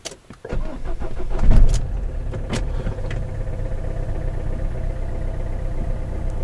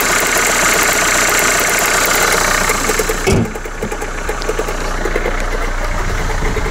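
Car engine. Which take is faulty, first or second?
second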